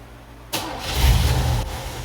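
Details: 1987 Cutlass Salon, previously squealing badly, after installing a warrantied replacement alternator: quick start settling into a steady idle with no chirp or squeal, with the belt off.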